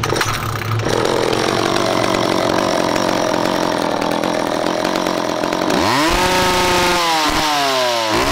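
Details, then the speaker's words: McCulloch 10-10 vintage two-stroke chainsaw, later model with electronic ignition, no cutting: settled buzzing idle, then crisp revs climbing cleanly to full throttle and dropping back; runs strong and healthy. "then you can get an idea of uh what one of these sounds like at idle and then what it sounds like fully you know blasted out i mean they're they they got a pretty cool sound about them"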